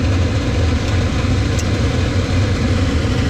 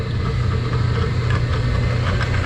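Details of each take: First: Laars Pennant two-stage commercial hydronic boiler (no-hot-water complaint), igniter drawing 3.9–4 A: a constant deep rumble with no surging or popping as the flame proves and water temperature climbs from 129 to 149. Normal burner firing. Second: Laars Pennant commercial hot-water boiler not heating, water hit 200°F against a 190°F limit with no flow: the circulator motor gives a steady low hum and spins freely but the pump does not turn, coupling suspected loose.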